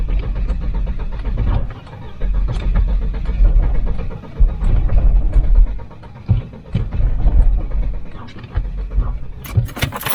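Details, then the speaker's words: Volvo 940 Turbo cutting out on the road after its engine bay was pressure-washed: engine stumbles and surges in ragged bursts, nearly dying, with no dash lights; water in the electrics or distributor is suspected. "Just broke down. Just cut out on the main road. It's not happy, is it? No."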